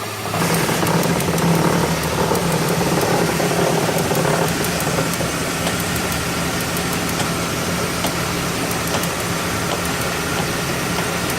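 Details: Ford XH panel van idling with a steady low hum and a faint, loosely regular knock underneath, about three to four taps a second; the owner asks what the knocking is.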